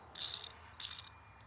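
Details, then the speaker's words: 2003 Toyota 4Runner 4.7 V8 idler pulley spun by hand off the engine: short gritty high-pitched whirr fading as it slows; needle bearing hammered and about to fail, cause of squealing, chattering belt noise. "you can feel the ridges of the needle bearings inside there. This thing is hammered and was about to let go."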